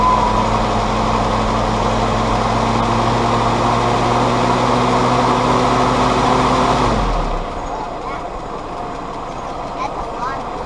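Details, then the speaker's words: Willys CJ2a Jeep with Kaiser L134 Go Devil four-cylinder, original carburetor refitted, vacuum advance just reconnected (it had been dying on throttle): even, steady low idle, no misses, for about seven seconds, then shut off; vacuum system helped. Owner suspects possible head gasket leak. "put some more water in it looks like that vacuum system really did help"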